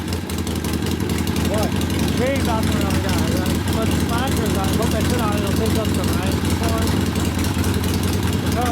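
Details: 1972 Harley-Davidson Sportster XLCH Ironhead after case repair and motor rebuild (came in with kick starter unable to turn over a seemingly locked motor): lumpy, even V-twin beat holding steady under background music, running cleanly after first start; normal running.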